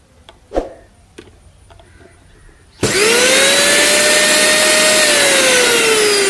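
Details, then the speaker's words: Mixer grinder motor after replacing worn bushes and fitting brushes: spins up to a clean, steady whine with no growl or rattle, where before the repair it made a loud growling noise caused by the worn bush. "അപ്പൊ നമ്മുടെ മോട്ടോറിന്റെ sound correct ആയിട്ടുണ്ട്"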